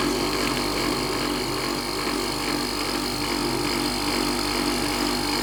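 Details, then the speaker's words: Whirlpool dryer with its condenser re-secured and drum belt and motor removed, powered up: compressor starts with a low, steady hum and faint constant whine; normal running. "Ok compressor started eh we can hear the noise"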